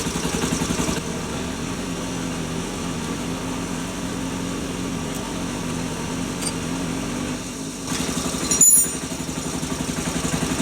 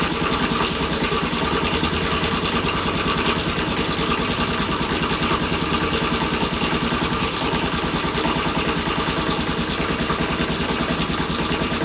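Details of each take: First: Postie bike small single at idle after cam chain adjustment: steady, even tickover with only a faint light tick left, the earlier on-off noise gone; normal idle. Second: Postie bike, warmed up, after cam chain tensioner adjustment: fast, fairly regular ticking, about three per second, over a rough idle from the top end; the adjustment changed the sound and made it less bad. Top-end ticking noise.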